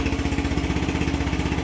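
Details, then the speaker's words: Yamaha NMAX V1 scooter just after its clogged fuel injector was refitted: it starts and holds a quick, even single-cylinder putter of about seven beats a second with no misses, a healthy idle. "Ngayon, subukan natin. Ayan oh. Ayun, okay na."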